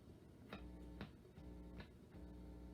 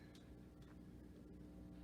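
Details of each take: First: 1950 RCA console radio with 45 changer, after fitting a grounded power cord: plays cleanly with steady music and light ticks, with no mains hum underneath, so the grounding problem is gone. Normal radio audio without hum. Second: 1950 RCA console radio with 45 changer, no grounded power cord, filter capacitor going bad: low steady hum with faint buzz; mains hum from ungrounded chassis, gone after a ground wire is added.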